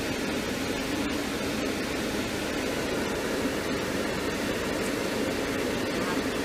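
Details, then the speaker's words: 2002 Mercedes-Benz C230 Kompressor (W203), engine running with AC on after replacing the HVAC stepper motor and its broken lever arm: steady, smooth blower air rush with no clicking behind the dash. Fixed. "all right so it looks like it's working now so I am happy for that"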